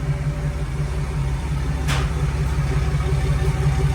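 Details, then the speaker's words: 1946 Willys CJ-2A at idle, heard at the new exhaust tailpipe: low even rumble, pulses about three per second, mellow with no rasp; audible but not annoying, normal. "So you can tell it's there, but it's not too annoying, okay? That's age appropriate for a 50-year-old."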